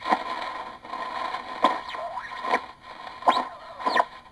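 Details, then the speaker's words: Morgan One Tube regenerative children's project receiver; sharp squeals and whistles snap in abruptly as regeneration control is turned, sliding in pitch; regeneration onset too harsh, worse at higher frequencies such as 80 meters. "how harshly it goes into regeneration now this regeneration problem becomes even worse at higher frequencies"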